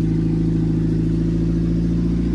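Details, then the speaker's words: Minivan work truck with catalytic converters stolen, light throttle at about 2000 rpm; loud, raw, steady unmuffled drone; exhaust running open where the catalytic converters were cut out. "I'm at 2,000 R bro I can spare the fumes for this bro this is too much bro"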